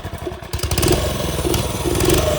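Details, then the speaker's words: TrailMaster go-kart single-cylinder engine that sat over winter, after suction-clearing the carb: catches and runs with an uneven surging note, won't idle; clogged carburetor jets, carb to be pulled. "just not one to idle, which means the jets are clogged."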